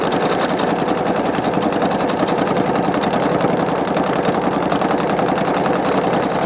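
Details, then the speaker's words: Singer Quantum Stylist 9960 sewing machine sewing metallic thread with traditional feed: fast, even, quiet stitching with a light loose rattle beneath; the usual Singer bobbin sound, nothing wrong. "This seems to be, it sews very quiet, so it's very nice. Except for that bobbin sound like we always have on a Singer. That must be their trademark sound."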